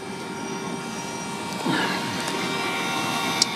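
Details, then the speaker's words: Honda N600 with a motorcycle engine swap, quarter tank of fuel: a low-mounted 3–4 psi electric fuel pump gives a soft, steady, quiet hum and faint whine with no surging. It sounds healthy, though the engine idles on only two cylinders. "I've got the fuel pump running it's a quiet little uh per per peror something like that fuel pump it's a 3 to 4 lb PSI pump it's pretty quiet"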